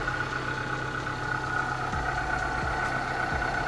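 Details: 2005 Suzuki APV at steady idle with a dry grating rasp and thin whine; owner suspects a worn AC compressor bearing, unconfirmed.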